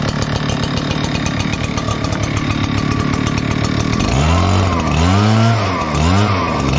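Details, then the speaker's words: Echo PB-9010T backpack blower, 500+ hours, ran poorly when cold; carburetor richened a quarter turn. Two-stroke fires cleanly and revs smoothly without bogging; now running normally. "So anyway, made a huge, enormous difference. It's running great."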